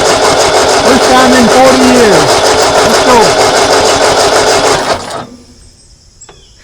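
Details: 1939 Ford tractor left in a field 20+ years, first start attempt in decades: long steady cranking with odd pops that never catch; owner suspects too much poured-in gas, battery cable getting hot; intermittent firing only.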